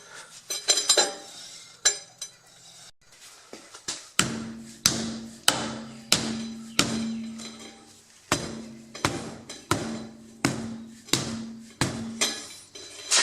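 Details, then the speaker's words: 2007 Pontiac Vibe rear drum brake, wheel spun by hand with microphone close: light metallic scrape with short ring once per turn, about every 0.6 seconds; suspected small pebble, rust or debris rubbing in one spot, never confirmed. "my theory of just a little piece of rust or dirt or a stone or something being in there and rubbing in that one spot. And it wouldn't have been very big, just something pretty small."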